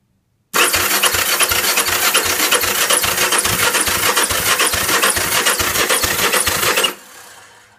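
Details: Honda CB450 motorcycle: starter cranks steadily at about three and a half turns per second for six seconds, engine never fires; cranks, no start.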